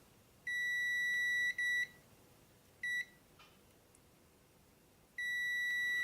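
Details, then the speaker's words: Transistor checked with a multimeter continuity test: steady high-pitched beeps on both legs to ground show it is shorted internally; continuity beep showing shorted transistor. "But that's short there and short there. And it shouldn't be. So So there your problems, guys, with these transistors."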